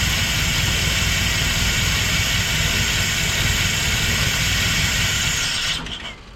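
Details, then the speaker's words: 1963 Chevrolet Impala SS sat 35+ years, spark plugs back in, fuel shot into the carburetor: loud, uneven slow churning at two to three beats a second that stops abruptly; tired battery, before the engine fires and runs. "it's definitely cranking a lot slow with the spark plugs back in there this battery is pretty tired"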